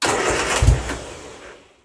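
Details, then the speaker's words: Turner Ranger four-wheel-drive tractor with 1098 A-series engine, sitting six months, fuel now reaching the filter: starter churns and the engine almost catches with a brief uneven surge on a little throttle, then dies away; cranking, nearly starts. "so yeah we've got fuel in the fuel filter now so a little bit more cranking and we should be good to [Music] go oh nearly a little bit of throttle there"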